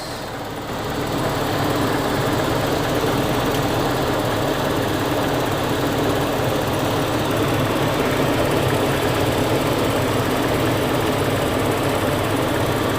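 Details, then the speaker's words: 2000 Toyota Kijang Krista 1.8 EFI after oil change, nearly at operating temperature: idle becoming calmer and smoother, steady even hum, no knocks or misses; normal warm idle. "suara mesinnya udah mulai lebih tenang nah Nih kan lebih halus"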